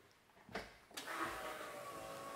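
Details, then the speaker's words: BMW M50 turbo engine in an E30 running Megasquirt KDFI v1.4, priming after uploading the tune: a couple of clunks, then a steady, even electric fuel pump whir holding level for seconds; normal priming. "Now it sounds like it should."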